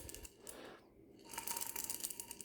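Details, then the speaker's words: Saab 900 Turbo manual gearbox on teardown: hand-turned roller bearing with missing rollers gives quick uneven light metallic clicking as rollers knock together; this bearing is believed to have damaged first gear. "you can hear that clicking in it that's the roller bearings you know actually coming around the race and you know you know just tapping into each other and you know that it should not be making that noise at all"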